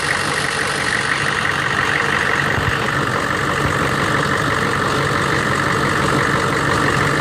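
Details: 1999 Chevy 6.5 diesel truck at idle: uneven lumpy rattle with no steady beat; bad fuel injection pump, possibly linked to AC circuit or engine load; replacing the pump fixed it.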